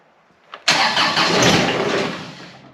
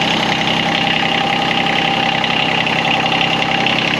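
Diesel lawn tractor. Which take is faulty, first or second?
first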